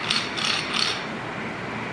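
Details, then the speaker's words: Manual transmission synchronizer demo: gear pushed in while it turns at a different speed from the main shaft, as if the clutch were not pressed. Three quick, bright ratcheting rasps as the small dog teeth clash; gear grinding on engagement. "so let's push this in a little bit and when they're trying to go i don't know if you can hear it we get grinding of the gears"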